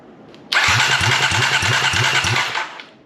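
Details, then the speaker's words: 2010 Kawasaki KLX250SF with a used replacement engine, under 10,000 miles, only half the exhaust fitted, no gas tank yet: steady starter whir with even compression chuffs, about three per second, never catches; cranks fine but no fuel. "it'll crank oh man let's get the gas tank on get some gas in it see what we can get"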